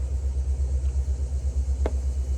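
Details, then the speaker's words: 1995 Pontiac Firebird Formula with Corvette LT1 swap, revived after 7 years sitting: deep, lumpy V8 idle pulsing about five times a second with raw tone from a big exhaust leak, rough at the front. "well she's running got an exhaust leak"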